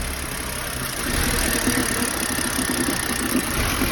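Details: BMW E90 with N52 inline-six: very rough idle with a lumpy irregular pulse and a slight rise in level partway through; cause undetermined here.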